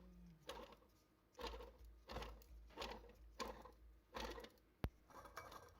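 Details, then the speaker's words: Oilless "silent" air compressor, piston turned freely with no compression or load: slow, uneven gritty scraping bursts about 1.5 per second, nothing like a silent compressor should sound; badly damaged front motor bearing. "we can hear an unhealthy sound that points to the big problem that I talked about before this is not what a silent compressor should sound like"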